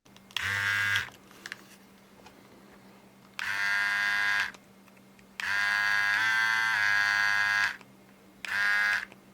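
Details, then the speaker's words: Philips QC5380 trimmer after repair of non-moving blades and freshly oiled blade: short bursts of a steady, even high buzz with no rattle or labouring, sounding different after oiling; runs smoothly. "As you can hear, it sounds even differently."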